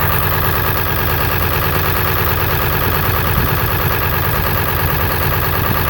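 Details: 7.3 diesel idling with twin pyrometers fitted: loud, uneven, lumpy clatter throughout, a rough idle with excessive blow-by.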